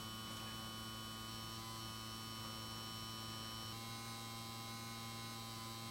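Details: 1953 Chevrolet push-button tube car radio, model 986668, vibrator power supply with tubes removed: fed about 4.5–6 VDC at roughly half an amp, giving about 420 VAC from the transformer. Steady low buzz with fine high ringing, no crackle or dropout; running normally.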